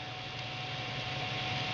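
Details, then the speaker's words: Radeon HD4870 graphics card with stock dual-fan cooler: steady loud airy rush with faint whistle at the 50% fan speed it normally idles at; too loud even at its lowest setting, prompting replacement with an aftermarket cooler. "this is too loud and I'm going to have to do something about it I cannot leave it like that"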